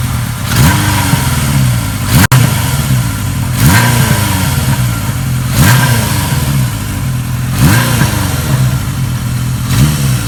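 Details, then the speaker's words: 1980 Kawasaki KZ650 revived after nearly 30 years stored apart, with Mac pipe header and rebuilt shocks: crisp, even firing with repeated clean blips up and back down to a steady idle, no misfires or knocks; runs good, no leaks or smoke. "Runs good, doesn't leak, doesn't smoke, and I'm going to take her up the driveway here in a second."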